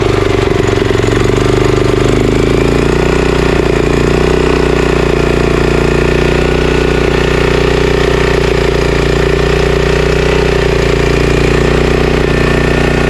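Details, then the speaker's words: Honda GX340 11HP pressure washer engine, previously seized, carburetor leaking at JB Weld repair, started on choke: loud single-cylinder beat rising and falling slightly; mild idle surge likely from dirty carburetor. "aside from this thing leaking um this engine runs pretty good uh obviously you heard it surging a little bit sometimes with uh machines like this you it will surge a little bit if the carburetor is not completely clean"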